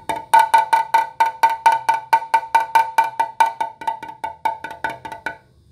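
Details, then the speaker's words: Tap hammer on a carbon S-Works Tarmac downtube with large voids found by ultrasound: clear ringing taps on sound laminate turn dull and short over the voided area. "if we move over to the voided area you clearly hear the difference in tone it'll be significantly dollar in time"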